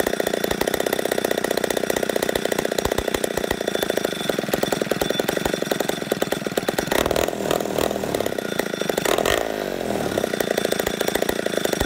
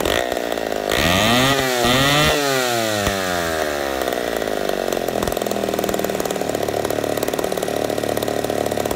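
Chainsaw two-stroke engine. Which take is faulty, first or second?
first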